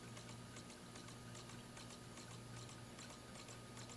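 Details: 2004 Dell Latitude D505 laptop booting from a possibly scratched or fingerprinted disc: faint, uneven ticking and scratchy CD drive spin-up over low hum; drive seems to struggle reading, cause not confirmed; boot succeeded.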